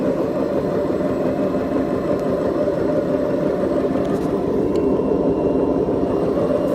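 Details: Beko washing machine, 7 years 8 months old, drum spinning; steady heavy rumbling roar with no pitch change from bad drum bearings; machine to be replaced.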